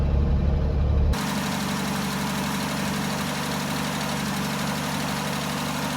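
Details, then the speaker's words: Jeep J10 after carburetor rebuild, cold weather, about two gallons of fuel: brief louder burst then even, steady low idle, no knocks or misses; builds oil pressure and voltage, some oil burning off, suspected valve cover gasket leak. "Um but you know, it's running. got old pressure. It's actually building some voltage, which is good. Um, so yeah, it's uh let it run here in a minute. See if it'll just kind of keep purring."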